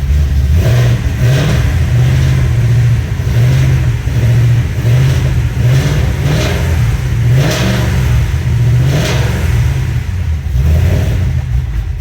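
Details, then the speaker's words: Foose/GT500 supercharged V8, fully assembled with exhaust and wiring hooked up, fired right off on the earlier tune that idles; strong deep rumble with clean, even rev blips, no knocks or misses; earlier oil burn-off mostly cleared, sounds healthy, tune still to be dialed in. "sounding pretty good. I had some oil and stuff burning off before, but it looks like that's mainly cleared out. But she is sounding good and she does sound healthy."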